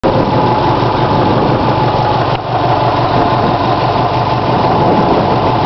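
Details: 2002 Subaru WRX boxer engine idling with a fast, sharp steady ticking knock that just started; owner suspects a bent valve, cause unknown.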